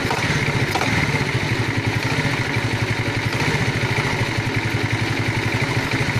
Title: Помогите проблема стук в двигателе Альфа